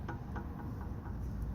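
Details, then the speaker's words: 2009 Jeep Compass 4x4, under vehicle, front sway bar link rocked by hand: soft evenly spaced clunks about four a second from play in the worn ball joint; the cause of thumping through the floorboard over bumps. "no it's gonna sound a little small here but believe me it resonates nice and loud inside"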